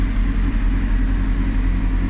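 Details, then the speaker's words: 1998 Honda CBR600 after carb work, revved then idling: a steady, deep idle with faint unevenness; it runs lean and hesitated to start, and the owner suspects the carb manifold rubbers are sucking air. "so it's better definitely ridable and solidly within the spectrum of all Road goinging CBR 600s"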